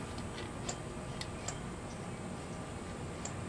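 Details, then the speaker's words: 4-stroke 7G motorized bicycle build, throttle cable just adjusted, engine off: light metallic tink sounds as the carburetor throttle slide snaps shut, nothing binding; throttle slide closing fully. "that Little Tink Tink sound is uh the uh the carburetor closing fully so we're good to go there"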